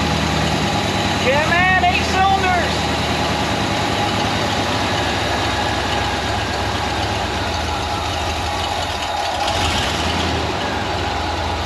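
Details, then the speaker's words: Ford Econoline 302 V8 after replacing bent #5 intake push rod (van sat for years): starts and settles into a steady, slightly uneven idle, computer in open loop; firing on all eight cylinders, no miss or tapping. "but it appears to be running on all the cylinders so that's that's a good sign"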